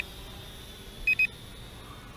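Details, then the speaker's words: Potensic T25 GPS drone controller while recording video outdoors: short high-pitched double beep repeating about every second over quiet outdoor hiss, beeping the whole time recording runs; normal though annoying recording indicator tone. "when you start recording video of this drone it beeps at you the whole time which is you know quite annoying"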